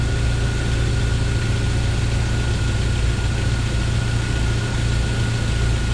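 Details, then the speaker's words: 1997 Jeep Wrangler TJ 2.5L idling not yet warm, just after timing chain and gear replacement: steady, even low rumble, front of engine now quiet with no loose rattle; owner expects noise may return when warm. "it is so quiet up here in the front of this engine i was hearing some looseness sounding and i don't hear any of that anymore"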